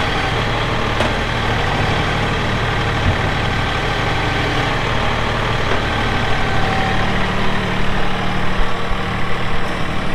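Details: 2018 Massey Ferguson 2605H 4WD tractor with loader, 310 hours: steady, even diesel clatter at idle with no knocks or misses. The engine settles and runs smoothly, a normal healthy diesel idle.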